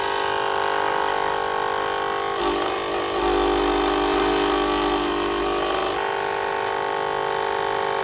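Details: Cricut Explorer Air 2 cutting machine: the drive motor spins the roller with a rough, grinding whine that turns harsher midway, and an indicator light stays on. The cause is unknown.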